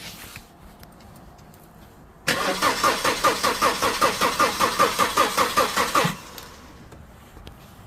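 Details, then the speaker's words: Holden Astra, 265,000 km: about four seconds of steady, even cranking that never fires. Compression is about 225 psi on all cylinders, spark is present, relays and fuses are fine, but no fuel exits the injectors; crank, no start. "she's cranking over but she ain't starting"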